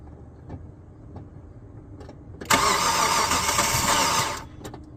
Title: '06 hyundai tucson gls noise while cranking, no start. help please and thank u